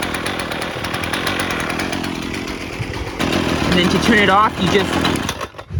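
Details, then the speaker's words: Husqvarna 128LD string trimmer after carburetor replacement (previously barely ran, never off choke), off choke: revs smoothly with steady high buzz, no surging or stumbling, then cuts off cleanly via kill button; running properly. "That sounded good. Let's take it off choke. Maybe it needed to warm up a little more. Sounds good."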